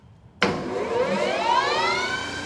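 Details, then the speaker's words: New Precision Matthews PM 1660-TL lathe on its first run and break-in, opened up wide to its top speed of 1800 rpm in range four: a quiet spin-up with a smooth gear whine settling into an even hum, not loud. Normal running. "that is impressive i like that like every other gear it's nice and smooth and it's not too it's not loud"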